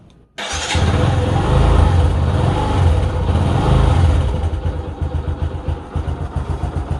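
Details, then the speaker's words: Kawasaki Bajaj CT 150 single after valve clearance adjustment: fires up, revs, settles to a steady putt of about four beats a second with the earlier top-end ticking gone; normal idle. "guys Okay na wala na siyang lagitik"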